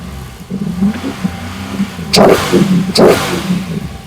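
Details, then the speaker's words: LS engine with ACES Jackpot 2 drive-by-wire EFI, in closed loop: two sharp throttle blips, then revs fall back with a slight uneven hiccup before settling; stumble returning to idle, suspected in the follow-on air tuning. "All right. Back down. You can hear it has that little hiccup. Um I think that's in the follow on air so we'd have to figure that out."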